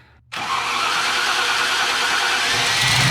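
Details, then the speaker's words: Starting a 1995 Land Rover Defender 90 that sat for years with a bad fuel pump, after fuel pump priming and a new ignition switch, in neutral with the parking brake on, clutch in, old oil and no air filter: the engine catches almost instantly and settles into a steady, rising run with no stumbling. "I just want to see if it'll start up. All right, here's the test. Key. Make sure it's not in gear or anything. Parking brake engaged. Clutch in."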